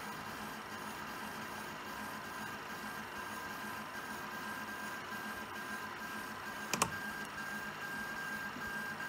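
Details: Prusa SL1S resin printer makes an abnormal noise on certain prints: a faint steady mechanical whir with a thin tone throughout and one sharp click near the end.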